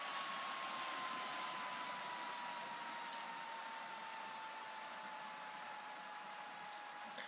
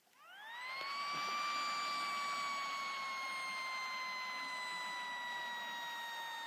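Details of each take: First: HP Pavilion G7 laptop after blowing out the dust: steady airy fan rush with a thin whine slowly dropping in pitch, normal for this model and present since purchase; the whine gets much worse with dust inside. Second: HP Pavilion G7 laptop, used on a lap desk: the fan spins up with a clear, steady high whine near 1 kHz, a sign of dust buildup wearing the fan.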